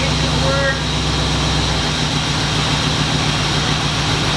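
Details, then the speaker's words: 1950 Chevy Coupe with a 1993 C4 Corvette engine swap: steady smooth idle with a low drone and no knock, after a torque converter balancing weight hitting the dented pan cover was fixed. "Okay, it was definitely a weight, balancing weight on the torque converter hitting that pan. So, now it should be nice and quiet."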